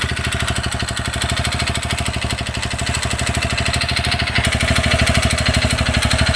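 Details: Low-mileage 2020 TVS Radeon BS6 fuel-injected bike: steady single-cylinder idle with a sudden new fast, even metallic tick, about three per second. Timing chain was checked and found fine; owner suspects the piston.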